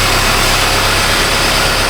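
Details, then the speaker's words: 2018 Honda Civic 2.0 with P0340/P0344 cam codes after both cam sensors replaced, idling smoothly with steady airy hiss; suspected vacuum leak at back of intake, unconfirmed. "Oh! We got a vacuum leak. We got a sucker."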